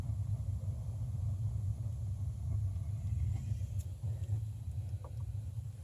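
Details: Water heater circulator pump in the attic, heard from downstairs: steady low droning hum with no change in pitch; pump running noisily, cause unknown.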